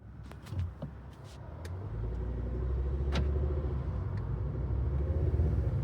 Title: Volvo c. clicking noise what is it?